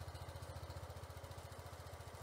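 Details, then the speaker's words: Sym Jet 14 fuel-injected scooter after setting a few mm throttle cable play: even steady single-cylinder putter, no hunting; now holds 1000 rpm stable, ECU still suspected. "hält jetzt die 1000 stabil"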